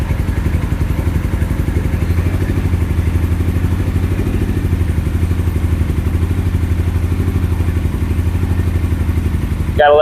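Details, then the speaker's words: Carbureted 2007 Suzuki GS500F twin, long stored and run only briefly months ago, just cold-started on choke with the fuel tap on prime: a fast, even low thump of about four pulses a second, steady with no misses; healthy cold idle. "But in all honesty, I have ran it a few months ago for about maybe 30 seconds. So, in a few more seconds, it'll run longer than it ever has."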